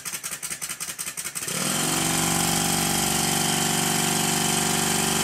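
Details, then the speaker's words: Rebuilt Stuart 10V steam engine running on compressed air, after shimming one main bearing; bolts not yet fully tightened: puffing beat about four per second, then an even steady run; the knock has all but disappeared. "the knocking has all but disappeared"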